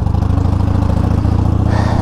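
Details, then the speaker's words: 2019 Harley-Davidson Sportster Iron 1200 rear brake after the pads were removed and cleaned; it had squeaked for years. Steady V-twin rumble while riding with the visor up and slowing gently on the rear brake. No squeal or scrape; the brake is quiet. "let me just apply a little pressure on the rear slowed down okay there was nothing there"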